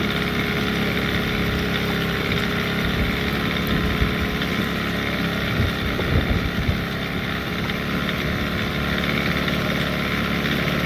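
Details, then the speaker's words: Post-repair: 15hp Evinrude outboard that had died when fuel ran out of the carburetor because the float wasn't letting fuel in fast enough. After adjusting the carb float, it runs a few minutes with a steady, even drone and no stumbling or dying. "Running really good. As you can tell, it ain't dying no more."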